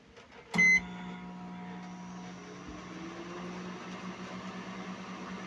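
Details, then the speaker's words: Microwave repaired for not heating, test-run on the express setting with water inside, magnetron working: beep, then a steady low hum with a constant fan drone and no sparking or crackle; normal operation. "Yan, mga ka-repairman, no? So, gumagana na po yung compressor. Gumagana na po yung ano niya, no? Magnetron plug."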